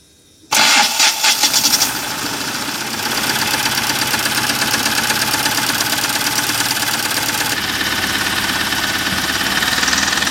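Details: Mahindra Maxximo common-rail diesel, after finding the faulty DRV that stopped injector spray, refitting the injectors and bleeding air: starter whirrs about a second, engine catches cleanly and settles into a steady, even idle; starting problem fixed.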